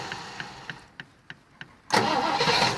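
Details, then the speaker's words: 1973 Rover P6 3.5 V8 with a starting fault: six sharp relay clicks, about three a second, then the engine catches and runs roughly before cutting out again; intermittent starter relay problem, relays being swapped to diagnose. "It's catching now. And it's gone again. Can you hear it clicking? So it's gone again."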